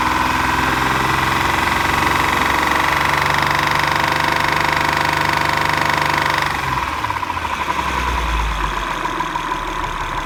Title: 2011 MDX knocking and ticking sound